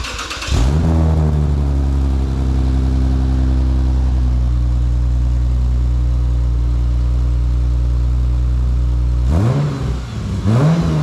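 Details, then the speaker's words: Lexus IS350 after J2 Engineering cat-back exhaust install, first start-up, recorded from behind facing the car: quick crank, deep even idle, then two clean revs; sounds healthy. "all right it's all tightened up so we're about to the first start up we're gonna give the camera to little man so he can hold it and you can hear that first fire up"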